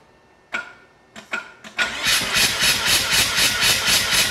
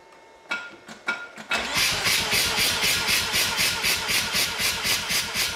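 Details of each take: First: Mazda RX-7 rotary engine compression test on the rear housing, assistant cranking with the clutch held down: steady cranking at about four even pulses a second with no weak beats, all about 75 psi, consistent though possibly a little low. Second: 7 rotary engine compression test, cranking with plugs out on a fully charged battery: about four pulses a second, slightly uneven; one pulse weak, two good near 75 psi, suggesting one weak chamber, not yet confirmed.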